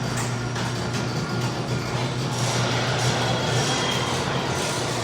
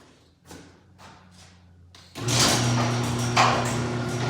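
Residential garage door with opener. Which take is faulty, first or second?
first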